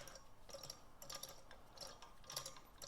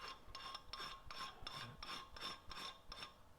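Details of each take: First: Oil pump for rebuilt 1965 Nova Wagon 283 engine, primed before installation and hand-turned: gears tick unevenly with soft wet drag, getting harder to turn as oil creates suction and pressure; primed pump turning normally. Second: Dry metallic rasping whir in bursts about three a second as the oil pump is hand-spun before priming, on a rebuilt 283 engine for a 1965 Nova Wagon; metal-on-metal sound of a dry, unprimed oil pump.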